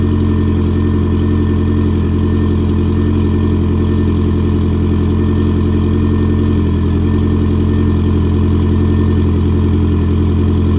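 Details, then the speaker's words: Ford Fiesta RS barn find, first start in about six months on a fresh battery, warming up: steady, even, very quiet idle with smooth low hum, no knocks or misses; healthy. "very quiet engine now tracking"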